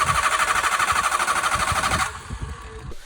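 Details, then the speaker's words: Used Hyundai Accent 1.6L petrol with a starting problem since purchase, which the seller blamed on the battery: starter churns evenly for two seconds with no catch; fuel pressure bleeds off through a small crack on the back of the fuel pump housing. "അപ്പൊ ഞാൻ വണ്ടി വാങ്ങി like വണ്ടി കസ്റ്റമറിൽ നിന്ന് വാങ്ങി അന്ന് അന്നത്തെ ദിവസം ആ വാങ്ങിയ ടൈമിൽ തൊട്ട് എനിക്ക് ഞാൻ ഫേസ് ചെയ്യുന്ന മെയിൻ ഒരു ഇഷ്യൂ ആണ് ഈ വണ്ടിയുടെ സ്റ്റാർട്ടിങ്"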